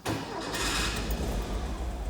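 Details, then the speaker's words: 1959 Intermeccanica 356 D Cabriolet replica, engine with Weber carburetors said to be cold-natured, automatic, about 23,158 km: cold start with quick crank, catches at once to a strong even idle; clean healthy start. "Now, the Weber carburetors can be a little cold-natured, but once she warms up, she's really a joy to drive."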